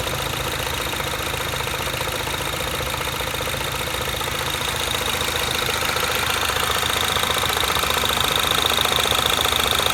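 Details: Mini Cooper S R56 idling after replacement of the timing chain tensioner, vacuum pump and valve cover: a steady idle with a light regular ticking of about three per second. The owner asks whether this is normal; cause not determined.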